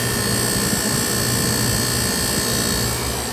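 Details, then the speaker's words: Ice machine compressor with a totally plugged condenser, before cleaning: a steady high whine over a constant hum as the compressor labors. "I'll let you hear the different sounds that compressor is laboring"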